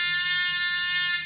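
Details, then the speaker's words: Nokta Makro Multi Kruzer metal detector in pinpoint mode swept slowly over a detected target: clear steady high buzzing tone over a second, then fading; pinpoint signal on target. "Point yapmamız lazım noktalama şu sağ alt sol alt köşedeki Point tuşuna basıyoruz meteor üzerinden yavaşça bir sürü bakın"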